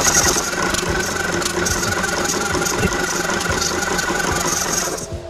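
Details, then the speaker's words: Tuxing mini air compressor with low pressure: steady chugging with a raspy hiss as air is pushed out and sucked back in on each stroke; an internal check valve is no longer sealing. "Nah, artinya apa? Di dalam sini berarti ada check valve yang sudah tidak bekerja dengan baik."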